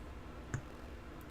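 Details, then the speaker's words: Apple HomePod being unplugged from power during repair: quiet hiss, then a single sharp thump as power is cut. The repairer suspects a couple hundred millivolts of DC on the woofer; not yet confirmed. "that sounds like a couple hundred millivolts of dc on the woofer let's crack it open and see if we're right"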